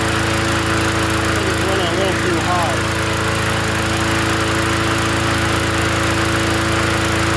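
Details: Free 20-inch Bolens gasoline push mower from the dump, first run after adding gas: a steady, even drone at constant pitch with no surging, missing or hunting; runs smoothly and healthy.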